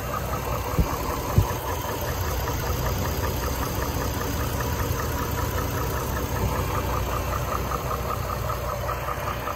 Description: 2004 gmc envoy engine knock noise